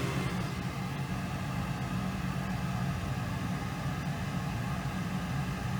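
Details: Goodman gas furnace running with a new gas valve, manometer checking manifold pressure at about 3.58, to be lowered to 3.50; even low roar with a steady hum, no rattles, pops or surging, the burner firing smoothly.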